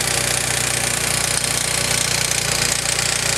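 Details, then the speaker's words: Honda S2000 at a buzzy idle with a light, fairly steady ticking of roughly four per second from up top. Owner is unsure and suspects the TCT or the valvetrain; unconfirmed. "so this is what noise my car is making and if anybody has any idea what it could be it sounds to me kind of like maybe the tct i don't know could be the valvetrain i don't know"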